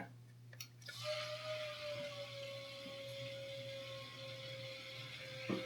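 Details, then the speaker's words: AIO CPU cooler pump in a custom workbench PC with a Ryzen 9900X3D, at first power-on: thin steady pump tone with watery gurgling and trickling from air trapped in the pump. "I can hear the pump has air in it. So, I'm going to lift the cooler out. Then the pump has now moved the bubbles to the top of the radiator."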